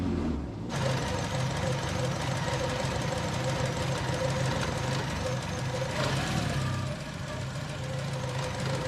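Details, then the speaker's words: ST170-engined Mk1 Ford Escort idling high at a steady four-cylinder idle. The revs sometimes drop after a rev or when the clutch is lifted; an idle speed fault is suspected but not diagnosed. "it has that weird idol thing it just idles high i'll rev it sometimes it'll go back down or if i like lift the clutch bring the revs down then it will stay down"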